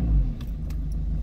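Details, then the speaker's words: Mazda Bongo / Ford Freda diesel after new glow plugs for bad starting: short start then low even rumble, not bouncing around as before; starts well, though alternator warning light now on. "I will show you where it starts and it starts really well"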